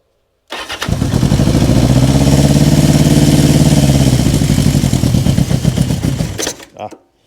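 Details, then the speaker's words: 1970s Honda CB550 or Kawasaki KZ650 four-cylinder bike revived after years in storage, on a jump box: it catches, runs rough and uneven for seconds, then sags and dies, as if running out of gas. It seemed rich, and carburetor jetting is suspect. "Yeah, sounds like it's running out of gas."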